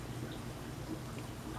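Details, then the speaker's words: Emerson Sensi Wi-Fi thermostat wired through a Spyder Robotics power module to an oil-filled radiator: quiet room hiss, then one sharp relay click as it calls for heat, showing the thermostat works; normal. "you hear that clicking that's showing you that the thermostat is working um which is good so if it's clicking like that you set it up here"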